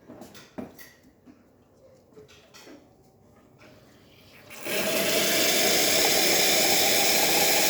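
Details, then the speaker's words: ECM Mechanika IV espresso machine after full service tune-up, hot water draw: a few quiet clicks then the pump starts with a steady even buzzing hum to refill water; normal pump run. "And when you use the hot water on these machines, especially dual boilers or heat exchangers, you're going to hear the pump turn on, of course, because you need to get more water."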